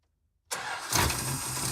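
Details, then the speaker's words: 1971 Chrysler eight-door airport car, cracked block patched with uncured JB Weld, started with no coolant to heat the head: catches on first crank and settles into a steady, even idle with no misses or knocks; starts and runs healthy. "Ooh, runs good. Wow, that went much better than expected."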